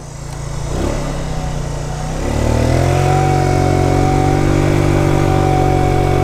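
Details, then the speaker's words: 2020 Tao Tao 50cc GY6 scooter on a ride, clutch rebuilt, vacuum leak present: engine buzz climbs then hangs flat under throttle and cuts out if given too much; bogging, owner suspects a junk carburetor. "See what I mean? It's in bog central right now. If you give it too much, it'll cut out. It's like it's holding itself back, you know?"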